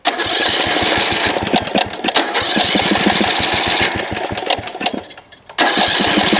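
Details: Snapper RER Comet riding mower that sat about a year, before a Mechanic in a Bottle fuel treatment (plug good, air filter checked, choke off): the small engine surges and sags with loose, irregular firing; rough running, likely fuel related.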